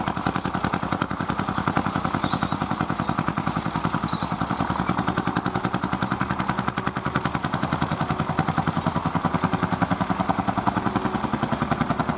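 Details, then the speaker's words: Fiat vintage tractor (possibly 55C/70R, ~55–70 hp) hot-bulb engine ploughing under load at a vintage ploughing festival: crisp, even thump about 158 per minute keeping perfect time; healthy hot-bulb engine beat. "Eccolo qua questa qui a vederla bene Senti come batte Senti come batte è un testa calda senti senti che spettacolo Settimo Che spettacolo come batte bene"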